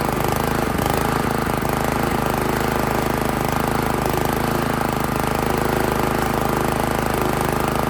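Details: Italian Workman 2 Multimixer cement mixer with a Honda GX160, choke on, idle screw being adjusted: the single cylinder chugs fast and unevenly, hunting, and won't idle. The finding is tight valve clearance.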